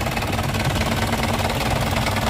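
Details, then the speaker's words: 1996 Isuzu Panther Royale 2.5 diesel idling, engine bay viewed from above, top of engine dry: even, steady diesel clatter with no misses or knocks; engine still sounds smooth and healthy. "Nah seperti ini ya teman-teman ya. Suaranya juga masih halus."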